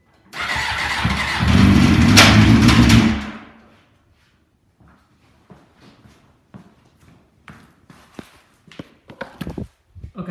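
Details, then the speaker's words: 2001 Suzuki GSX-R 600, 27,000 miles, with Power Commander 5: engine starts and runs about three seconds with a hard, rattly, really bad rod knock before shutting off. "as you see it did start and did run but has a really bad rod knock"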